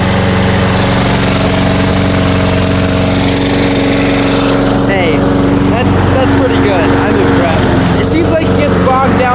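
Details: Free curbside push mower, small single-cylinder engine, restarted on grass after it was killed: steady, even drone with constant pitch and no misses; normal running.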